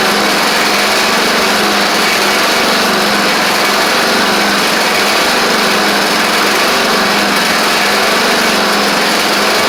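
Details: Craftsman DYT4000 riding mower running after a suspected faulty seat safety switch: steady high whirring hiss over an even engine drone, no knocking; owner suspects the pulleys, perhaps needing WD40, cause unconfirmed.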